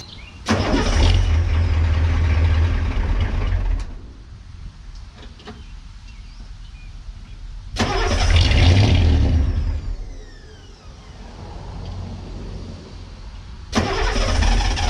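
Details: Ford 6.9/7.3 IDI diesel cold start, with new glow plugs, controller and relay: repeated long cranking bursts at about four turns a second without catching. Air in the fuel filter, meant to self-bleed, is delaying the start.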